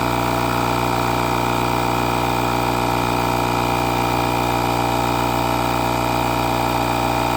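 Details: Buture Beta07 jump starter's built-in air compressor inflating a 33-inch tire from 5 toward 40 PSI: loud, even, fast, steady buzzing chug under load. It later shut down, apparently for heat, at 36 PSI.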